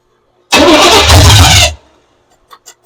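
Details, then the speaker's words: 1982 Chevy pickup with new fuel system, throttle worked at carburetor: starter spins engine steadily about a second but it never catches; no fuel delivery, fuel pump not pumping. "I don't think the fuel pump's pumped enough. Of course, not everything's going to be a winner."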